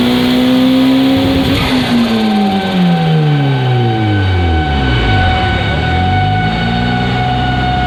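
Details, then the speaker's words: Engine pulls hard then lifts, pitch sweeping down with a fluttering chatter; suspected turbo compressor surge out the intake because the blow-off valve is not opening (not seen moving), not confirmed. "Maybe it's surging out the intake. The intake. What Illy's car always sounded like with no blowout valve on it."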